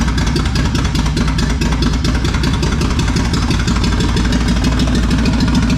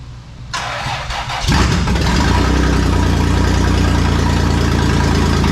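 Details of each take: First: Toyota 4Runner 3VZ-E after repairs for no compression on two cylinders: loud open-pipe idle with a lumpy uneven beat before shutdown; two cylinders misfiring from crossed spark plug wires, number four among them. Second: Toyota 4Runner 3VZ-E after engine repair, exhaust not fitted, fuel leaking: cranks, catches and settles into a loud, even rumble with no misses, sounding much better, normal running.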